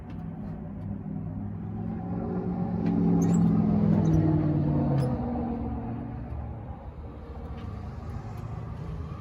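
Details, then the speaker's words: 1965 Chevy C10, sitting since 1994: engine races and hangs at high revs, slowly sagging; gas pedal sticking, likely because throttle return spring was removed while working on fuel hose. "Well, there you have it. The gas pedal's kind of sticking. I think probably help if I put a return spring back on it."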